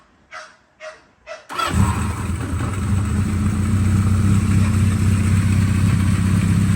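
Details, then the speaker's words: 1979 Kawasaki Z650 four-cylinder, fully restored after years sitting, completely rebuilt with worn parts replaced: three short cranking bursts, then catches and settles into a smooth, steady idle with no knocks, misses or smoke; healthy. "Starts with a touch and sounds good. No smoke, no noise. A perfect bike now."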